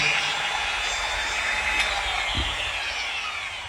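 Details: Bosch S6-100 4-inch angle grinder armature run free after housing bearing and switch change; smooth steady high-pitched whir with no rubbing, ticking or bearing noise, healthy.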